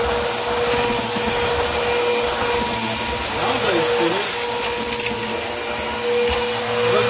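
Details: Bissell vacuum cleaner after a new drive belt, running on the third setting over carpet: steady, even motor hum with a clean brush-roll whirr and no slapping or squeal; normal running.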